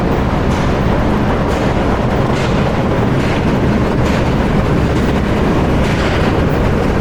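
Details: Powerscreen PT330 jaw crusher running before toggle plate replacement, toggle plate badly worn, jaws closed to about 70 mm: constant heavy rumble with loud thumps about once a second; noisy jaw crusher.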